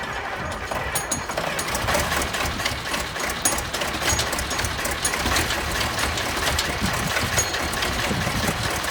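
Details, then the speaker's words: Junkyard Massey Ferguson 1155 tractor, parked many years over a hydraulic issue, restarted after fuel was pulled to the filters: rough rapid firing settles into a steady diesel rhythm with good oil pressure, running acceptably. "baby don't sound too bad I got good oil pressure"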